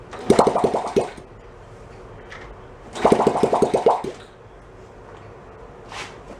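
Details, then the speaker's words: 1972 Honda CT70 Trail 70 stored ~20 years, carb just cleaned, no muffler, choke position uncertain, fed from hanging fuel bottle: two bursts of sharp uneven pops, each dying after about a second; catches briefly but won't keep running. "I'll fire it up. I do. That should be pretty poppy with no muffler."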